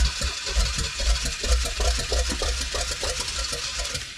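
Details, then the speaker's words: 1969 Pontiac GTO with an apparent Pontiac 350, sitting 35 years, cranking on a recharged battery: uneven cranking with irregular thumps as a couple of cylinders catch and drop out. A sputtering misfire, not yet idling; the cam is in bad shape. "Oh no. Oh. Oh, it's getting there. Oh, it's getting a couple pistons."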